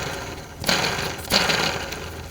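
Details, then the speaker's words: 2012 Honda Civic Si with a horrible noise that disappears with the serpentine belt off: microphone by the tensioner and idler pulleys, hand spins give a dry gritty rasp fading out, worn bearings; both pulleys to be replaced, more faults remain. "I'm going to spin them by hand, and you'll be able to hear the nasty bearing noise"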